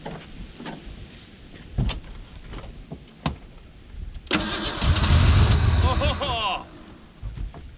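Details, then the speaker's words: 1991 Ford Ranger STX abandoned for years, on ether after re-crimping wiring: steady starter cranking about four turns per second, brief rough catch on ether, then dies; spark present but no fuel, no fuel pump heard. "bit of ether so we do have spark we're just not getting fuel not hearing any fuel pumps"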